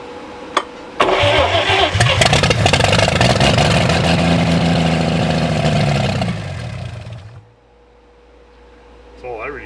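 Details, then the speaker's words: Donated Stovebolt Chevy six, first start after cleaning points: catches after a second of cranking, runs strong and even about six seconds, then winds down; sound, healthy engine, oil pressure sender not installed. "to see think runs fine that sounds great it's awesome"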